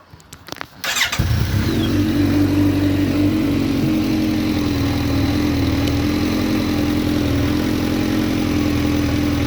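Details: Suzuki Bandit with inline fuel pressure gauge fitted and a high-flow fuel pump, fuel pressure never dipping; starter whirs, the engine fires at once and settles into a smooth, even idle with no stumbling or hunting; normal idle.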